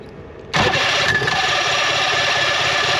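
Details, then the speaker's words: 1966 Evinrude Playmate outboard started with the fuel pump on: cranks and catches briefly with a rough, hissing run then dies, flooding badly; hard starting, carburetor floats suspected not dropping, rebuild planned. "I'm going to give it a little pop oh it's flooding big he trying to run though he fell over"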